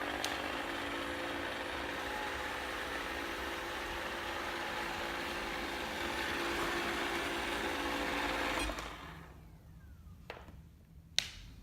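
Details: iLife robot vacuum running with an abnormally loud, rough whirring roar and a steady mid-pitched drone, then shutting off.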